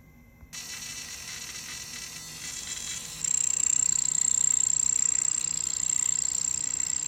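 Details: Bambu A1 mini 3D printer not printing, with a thin high-pitched whine and a fast, even buzz of about three pulses a second; abnormal buzzing noise, cause and fix unknown.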